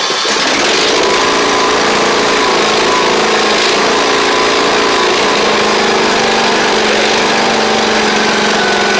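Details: Craftsman YT4000 riding mower after its engine swap (the original 24 hp Briggs looked to have run low on oil). A steady, even buzz holding constant speed without surging or hunting. The engine runs smoothly and pretty well.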